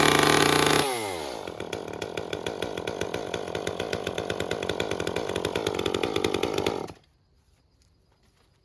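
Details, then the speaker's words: Second Echo CS-355 chainsaw, carburettor screen clogged and cleaned: revs up then runs with a choppy, burbling four-stroking beat instead of a clean scream; still very rich, so limiter cap must be removed to retune. "actually going to have to remove the limiter cap it's still Pig Rich let's try that again"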